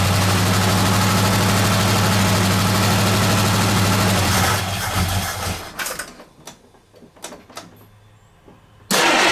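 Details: 1969 AMC Javelin, 290 V8 with old fuel and a carburetor accelerator-pump fuel leak: cranks, catches, runs rough with an uneven stumbling beat for a few seconds, then shuts off; misfire from loose spark plugs.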